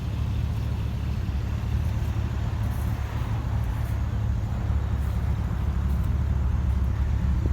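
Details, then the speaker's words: Jeep TJ with swapped L99 LS V8 and 6L80 transmission from a Camaro: low, soft exhaust rumble at idle, even quiet tick-over with no knocks or ticks; healthy, very quiet idle. "Like I said, it's running. You can't even hear it. I mean, that's the exhaust note with it just sitting here idling."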